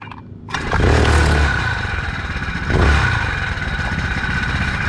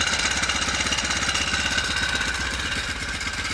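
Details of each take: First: Four-stroke motorized bike, before fitting a spring tensioner: engine fires up and revs with an uneven clatter on take-off as the drive chain jumps around under acceleration. Chain slap from a slack drive chain. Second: Four-stroke motorized bike after fitting a frame-mount floating idler spring tensioner: steady idle pulse with only light chain clatter behind it. Chain noise much better than with the previous pulley, though not perfect.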